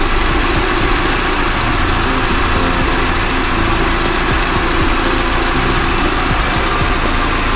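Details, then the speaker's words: Carbureted car after distributor (delco), carburetor and throttle adjustment, idle set to 900 rpm so headlamps drop it only to 800; steady smooth low rumble with no misses, surges or knocks, normal idle. "itu sudah berada di angka 900 RPM"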